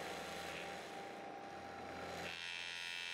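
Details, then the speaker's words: Milling machine hogging out a Hemingway knurler part, where loose pneumatic drawbar buttons had been vibrating. Raising spindle speed and changing feed shift the pitch, and the cut settles cleaner with less rattle. "I'm also playing with how fast I'm feeding just to try to find something that doesn't vibrate as much and yeah that's better"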